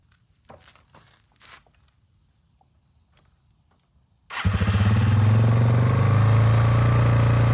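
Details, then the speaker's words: 2001 Yamaha TTR 225 after four years sitting and carburetor cleaning, first start with jump pack, tank loosely fitted: catches and settles into steady, even thump about four beats a second; took a second to fire, now idles smooth. "so as you can tell it did fire up it took a second I think that fuel was just a little slow getting in there um but it is running well it's IDL and smooth"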